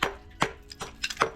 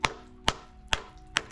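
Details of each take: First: Hammer tap test on a spa step's pebble finish: top sounds solid, but taps on the vertical face ring dull and hollow, showing delamination. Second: Hammer tap test on the top of a delaminated spa step's pebble finish: sharp ringing taps about twice a second with clean decay and no dull thud; this surface sounds solid.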